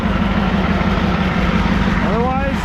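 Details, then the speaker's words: 1988 Ford wrecker with manual transmission, long abandoned, running on red heating-oil-like fuel: a steady idle with a light, fine rattle underneath. Suspected transmission bearing, throw-out bearing or input shaft. Transmission rattle at idle. "running like a clock or that PTO maybe clutch works okay so that's throw out bearing or the uh just input shaft"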